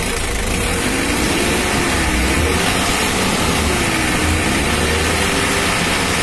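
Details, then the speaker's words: Mitsubishi L300 diesel during a radiator fan and fan-clutch check, throttle blipped. Steady running with a whooshing fan and slight pitch swells, fan air growing stronger when revved; nothing irregular, it sounds healthy. "ini kita coba lagi ini anginnya udah besar kalau kita gas pasca besar"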